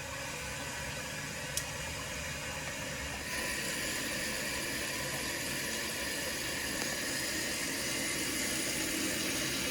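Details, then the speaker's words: Toilet with newly replaced fill valve, supply just reconnected: steady, even rush of water filling the tank and overflow tube, no sputter or squeal; fill valve refilling normally, water level later found too high. "So you can see it filling the tank while also filling the tube."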